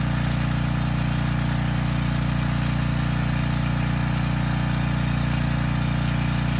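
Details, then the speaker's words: Briggs & Stratton Storm Responder generator repowered with a used 10 HP Briggs engine (old oil, carb unserviced): steady even low hum, no misses or surging; makes power, about 114 V, engine speed near 61.8 Hz. "okay well there's good news and bad news i guess the good news first makes power"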